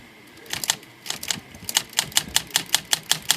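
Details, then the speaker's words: Olivetti Lettera 22 typewriter after its stalled ribbon drive was fixed by flushing old oil from a sticky pawl: crisp, even type-bar strikes about two per second with no binding; ribbon now advancing normally. "Yep, you can see that. You can see it moving around now. So, sticky parts are a culprit a lot of times on these old guys."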